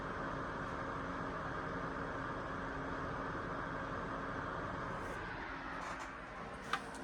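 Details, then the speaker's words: ACMEMATION 120mm PWM case fan, one fan at about 50% speed, about 6 V actual, recorded about a foot from a decibel meter; quiet smooth airflow hiss, no ticking, rattle or bearing whine. "Then down to 50% speed, which would be around 6.4 volts on this thing."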